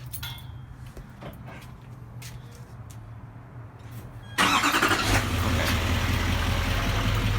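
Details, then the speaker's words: 2017 HD Denali diesel cranking to rough idle with steady ticking on passenger side that speeds up with throttle; pushrods and lines previously replaced at 1,700 miles; owner suspects exhaust crack or line, unconfirmed. "as the throttle increases the ticking noise speeds up now I've read a few times it could be a crack in the exhaust it could be possible line"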